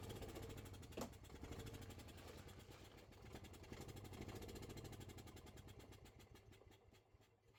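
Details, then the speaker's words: Gas Club Car golf cart, after a no-crank fix (cleaned battery connections, reconnected a relay wire in the fuse box, shifter white wire left disconnected): small single engine runs steady and even, no longer dying when shifting gears. "she runs she drives she stops and she doesn't shut off when I switch gears"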